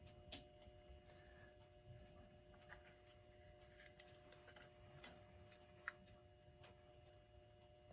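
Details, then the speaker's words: Ingraham SSD8 electric strike clock, c. 1936, running after power cord reconnection during restoration: faint steady hum with quiet irregular ticks; runs well though old grease and oil is seen dripping onto the dial; normal motor running. "and it's running very good but one thing I'm noticing is there's a lot of what looks like grease and oil that's been dripping out"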